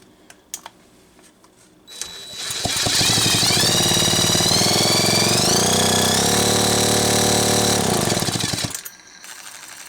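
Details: McCulloch Pro Mac 55 chainsaw, spark checked before carb work: starts, then a loud, busy two-stroke buzz climbs and settles at steady revs before shutting off; saw runs fine.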